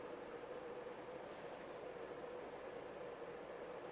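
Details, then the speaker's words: CEC 36-inch spinner ceiling fan on reverse high: strong even rush of air with faint steady hum and no ticks or wobble; running normally, very fast and powerful. "Okay, and finally high. And high is the same as forward. Very fast and very powerful."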